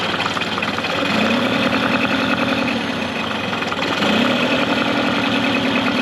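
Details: Mercury 9.9 hp two-stroke short-shaft outboard, believed early 90s, revived after years sitting, with an upgraded carb and spark plugs. After maintenance, it idles in gear in a test tank with a steady, even burble, slightly quick, no misses; normal idle.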